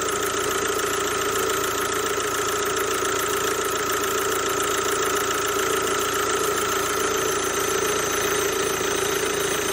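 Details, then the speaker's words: CRDi diesel at idle: loud, steady whooshing rush with thin constant squealing from a belt tensioner pulley with a worn bearing; only one pulley replaced earlier, failing again. "oczywiście słychać wielki szum słychać piski nie czyis"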